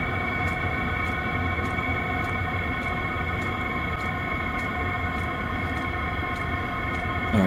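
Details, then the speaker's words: New 12V Voyocht diesel heater bench test, just after reaching set temperature and switching high to low: pump and blower slowed, soft regular fuel-pump ticks about every half second over steady fan hum; normal low operation. "you can hear the uh pump slowed down the blower slowed down that's still really hot damn it sounds like my mechanical valve that I have in my heart now"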